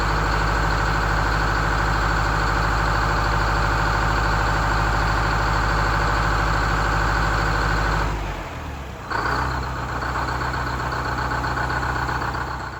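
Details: GM 4106 bus diesel, restarted after 2.5 years off the road, idling with a smooth low rumble and regular firing, a brief dip then settling; sounds good after loose oil pan and transmission pan bolts were tightened.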